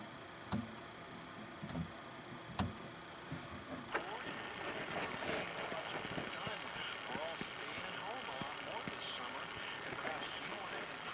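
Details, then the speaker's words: RCA RFG-45E transistor radio after a failed electrolytic capacitor replacement under the tuning wheel: at full volume only very faint static and a barely audible station while tuning; very weak audio output, suspected open transistor or electrolytics. "now i'm hearing something when i'm moving the tuning condenser in this area just a little tiny faint static very very very faint static volumes all the way"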